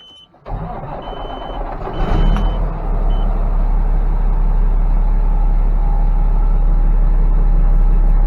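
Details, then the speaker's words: Cummins ISX diesel truck after replacing timing and fueling actuators, fuel pump relay, Jake harness, cam sensor and oil pressure/temperature sensor: cranks, catches and settles into a steady, smooth idle, rough idle fixed. "It's just idling smooth now. So I'd say this one's fixed. It's running great."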